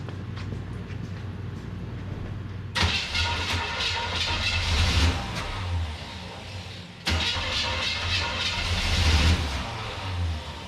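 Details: Starter whirs, engine catches and runs a few seconds then fades out, twice; stalls after starting, owner says timing is off and plans to check the vacuum advance on a new distributor.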